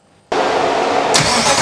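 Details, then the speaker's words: Ferrari engine fitted in an Alfa Romeo 105, after reinstallation, settling from 2200 rpm toward idle: engine runs with a harsh, uneven clatter and slap under a loud roar; timing belt found loose. "something doesn't sound good something sounds bad something sounds sounds very bad oh that doesn't look good what is that okay no no no no why is there a loose timing belt"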